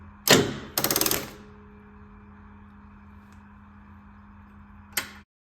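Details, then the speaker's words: Classic car starter deliberately run through a drastically undersized cable: key turn brings sharp crackling bursts then a steady low hum as the wire arcs, instantly melting the insulation and burning through at the weaker connection end. "You see what happens? It instantly melted the insulation. It's all nice and shiny and lumpy. And on the weaker connection end, it just instantly burnt the wire right in two."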